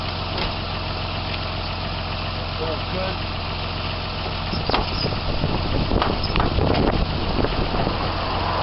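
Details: 1995-96 Jeep Cherokee XJ 4.0 petrol (UK Limited), running after the immobiliser and alarm bypass: steady, even low idle holding speed with a smooth rumble, no misses or knocks; engine healthy.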